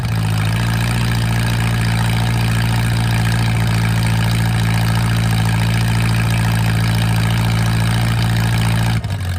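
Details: Mercruiser 470 3.7LX marine engine, first run after sitting 16 years, at idle: loud, steady low drone with an even beat near three pulses a second and no knocks or misses; sound, smooth idle.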